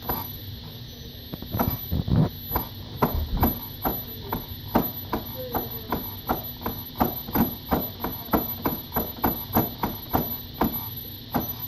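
Sharp irregular pops, roughly two each second, over a faint motor hum with a thin high whine; source of the popping unknown.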